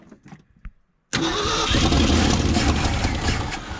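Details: Old Ford truck used as a 90s dump truck, sitting 20+ years, started in the cold on a jerry-can fuel hose that keeps popping out: silence, then it fires and runs unevenly a few seconds, sagging as it starves for fuel and nearly dies.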